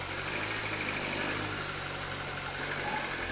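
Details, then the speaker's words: MINI R50 genuine first start after gearbox and clutch replacement and gearbox oil refill: steady, quiet idle with smooth low hum, no knocks or misses, though something sounds like it's dragging at the back; normal idle. "But it sounds quite quiet, and thankfully the tube that the release bearing is on hasn't ripped itself off, well, not yet anyway."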